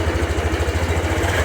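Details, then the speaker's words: 2022 Honda Beat FI with coarse rough engine noise: low idle thumping about thirteen times a second with a gravelly rumble underneath; crankshaft bearing suspected worn or full of sludge, not yet dismantled. "saya ini di bagian bearing rok as yang sudahah kasar atau mungkin banyak lumpurnya kan belum tahu"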